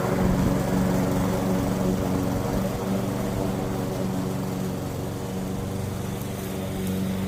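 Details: Curb-found Weed Eater walk-behind mower, single-cylinder: steady, even drone with smooth firing, no misses or knocks under load; runs good.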